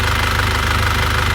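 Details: 2001 Isuzu Panther diesel after replacing the pistons and rings, with the original liners reconditioned (previously had blow-by and noise): a steady, even idle clatter with no misfire or knock and clean exhaust with no compression leak; normal idle.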